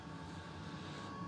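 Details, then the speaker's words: Hybrid diesel heater combining a Webasto water heater with Chinese diesel heater parts, on heat setting 4 for about 5–7 minutes with the radiator bottom at 56°. Low, even roar with a faint steady whine and no pulsing or popping; burning normally. "so I would say it's been running for about 5 minutes in total"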